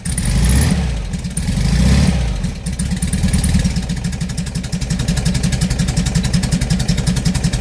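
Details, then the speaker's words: 57-year-old air-cooled VW bus, flat-four idling after the exhaust tailpipe snapped off: quick, loud, raw exhaust pulses at about 220 per minute; the harsher note comes from the missing tailpipe, later fixed with a stainless Vintage Speed exhaust. "The exhaust has come off. Now, it may not seem a lot, but what I'll do is I'll put a clip here of what it sounded like before this fell off and what it sounds like now."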